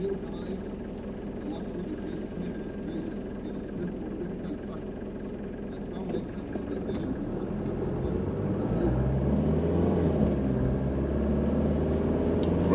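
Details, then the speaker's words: Mercedes W201 190D diesel on the road in Hamburg, heard from inside the cabin with new engine hood damping: low rumble climbing smoothly in pitch under acceleration, no knocks or misses; engine extremely healthy. "Engine extremely healthy as far as I saw it. The drive is wonderful. Sounds good. It's a real pleasure to drive."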